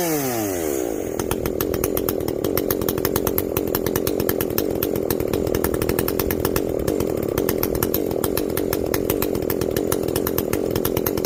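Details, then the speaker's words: Echo CS-590 chainsaw after a carb mod with limiters removed, high and low jets richened, exhaust opened up; screams at high revs with an even buzz, steady under cutting load; not running hot, now reaching the rev limit. "it is definitely not running hot uh i mean from what little bit i tested here all that heat is getting out we've opened up that exhaust it's getting out of there"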